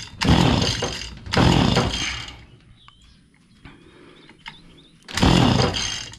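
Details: Stihl FS85 two-stroke hedge trimmer, fuel refilled, primed, leak noted: catches and screams at full throttle, dies within a second, repeats.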